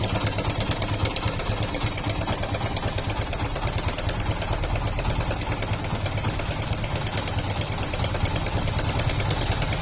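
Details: Yamaha FZ/Fazer/SZR single-cylinder idle with fast sewing-machine clatter, timing chain rattle from a worn tensioner; fixed by tensioner replacement.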